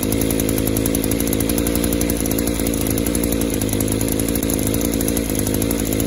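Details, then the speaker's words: Two-cycle chainsaw after fuel system pressure testing: runs rough and uneven, beat stumbling and thick instead of clearing out; engine loading up, suspected clogged exhaust or scored piston/cylinder. "oh you hear that it still wants to load up it's going broke one of two things that could be exhausted stopped up and or the piston is cylinder could be scored"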